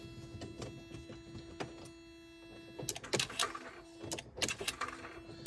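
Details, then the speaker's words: 2000 Smart City Coupe, long left outdoors, ignition on: steady low hum with faint regular ticking and buzzing; some electrical component energised, owner unsure, possibly clutch actuator, suspects a faulty relay. "These are all buzzing away. There's something. Vaguely doing something in there."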